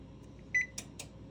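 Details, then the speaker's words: GE range model PB950SF2SS after F20 error: bake selected with temperature and start pressed gives one short beep then relay clicks, no double beep (double beep means fault); normal start beep. "if you go to bake again hit start after you select your temperature it should go right to click you should not hear a double beep"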